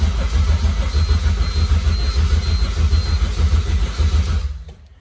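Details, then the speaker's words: K-swapped car being started after the swap with a bit of throttle: even, rhythmic starter cranking at about 160 pulses a minute that never fires. It cranks but won't start, and the fuel pump is confirmed priming fine. "Yeah, it's not starting, but I thought we had a slight problem with the fuel pump priming."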